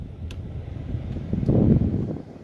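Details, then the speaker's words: 1997-2003 Ford F-150 blower motor on low speed after replacing the corroded blower motor resistor, which had left only high working. Steady low whoosh of air that rises and falls smoothly, with no squeal or rattle; all speeds now work. "I can already hear, I don't know if you can hear it, but I can hear it already working on low."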